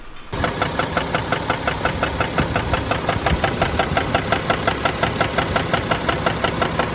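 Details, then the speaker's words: BMW X5 F15 with N57D30 313 HP diesel at idle, in the owner's clip; steady deep knock about twice a second from the bottom of the engine; later found spun main bearings and a connecting rod bearing, i.e. rod bearing knock. "so the issue is a clocking sound inside the engine so we're not sure what is going to be the the case"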